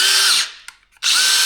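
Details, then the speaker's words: DeWalt cordless drill from a lot of three, just reassembled after a Vessel-brand tool shattered on the tight left-hand-thread chuck screw, before the chuck is refitted. A high, even motor whine spins up, briefly stops, then returns, tested forward, backward, fast and slow. The motor and gears run healthy. "Now we can go forward, backwards, fast and slow."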